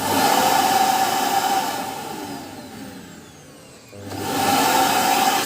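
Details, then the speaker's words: Samsung SC8870 vacuum cleaner after its failed VCM-M30AU 2400W motor was replaced with the same part (it had stalled without reaching speed): a strong, even whine sags in pitch while the inlet is blocked by a palm, then recovers cleanly; suction is normal. "The suction power can be checked by relatively covering the inlet with your palm; if it lifts, or relatively, depending on the weight of the vacuum cleaner, the suction power is normal."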